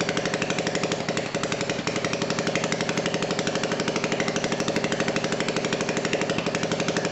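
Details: Old BSA 220cc single-cylinder stationary engine running just after first start following repair: crisp firing around four beats a second, steady and even with no misses; clean and healthy, normal running.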